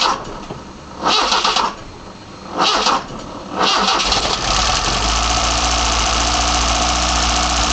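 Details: BMW 318i with M10 engine on newly fitted sidedraft individual throttle bodies, first startup: two cranking bursts, then it catches and settles to a steady, even idle with no misses; normal startup and idle.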